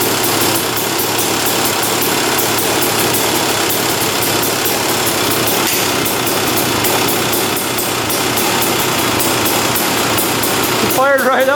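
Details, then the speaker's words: 2001 Honda CR250 two-stroke, on the choke; crackly buzz held at fast revs, slightly ragged, then blips, smoking a lot and slow to respond; owner suspects rich running, fuel mixture or burning too much oil, unconfirmed. "It is smoking quite a bit and on the throttle it's not, you know, super responsive. So, to me, it does seem like it's running a little bit red."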